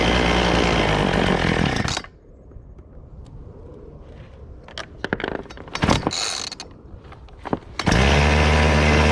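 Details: Chainsaw after adjusting the low- and high-speed carburetor jets: a high, steady two-stroke roar drops away, then returns clean and even with no bogging or sputter; normal running.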